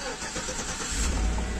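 Short cranking for just under a second, then the engine catches cleanly and settles into a steady idle; normal start.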